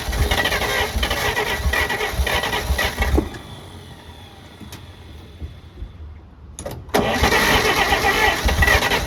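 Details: 1948 Pontiac Silver Streak straight-six, sitting since the early 1990s, first start: catches and runs ragged with uneven light knocking, dies back, then revs again on throttle. Rough running with a slight knock; it needs throttle constantly to keep running.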